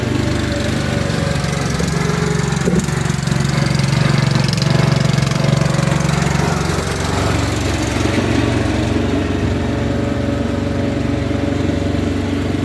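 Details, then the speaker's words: Ariens/Husqvarna riding lawnmower single-cylinder engine after revival with a new carburetor, intake manifold, head gasket, flywheel, battery and ignition; steady, even chug with no knocks or misses, running healthy. "all right and just like that we uh we turned a pile of Parts into a uh running cutting driving machine"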